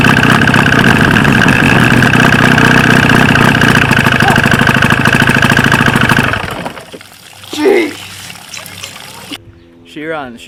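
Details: 1995 Force 40 hp two-stroke outboard with water in the cylinders, no kill switch wired: loud, rough running at an uneven beat for about six seconds, then dies abruptly as spark is interrupted; only one cylinder firing.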